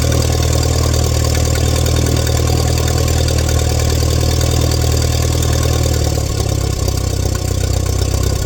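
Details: 1947 Allis Chalmers WC tractor that fired but wouldn't stay running, after checking fuel at the hose and adjusting the idle mixture screw: steady, even low-pitched idle with no misses or knocks; normal idle after repair.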